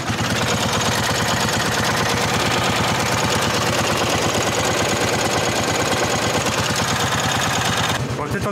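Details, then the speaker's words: Honda 1211 ride-on mower idling and revved: fast even flap-flap ticks like plastic rubbing on every turn; transmission cooling fan rubbing, a recurring fault despite an earlier repair. "Bon, je sais pas si on l'entend autant dans la vidéo qu'en vrai, mais il y a un bruit de flap flap flap flap, vraiment un bruit de plastique qui frotte."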